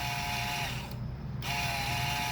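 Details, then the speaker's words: Electronic parking brake caliper (Mercedes/Audi/BMW/Land Rover type) powered with reversed polarity: steady mid-pitched motor whine, briefly stopping then resuming, as the motor winds the piston back; pitch changes once fully released. "Okay, there. See that and now it will be a longer turn. You keep going. And hear the whining noise"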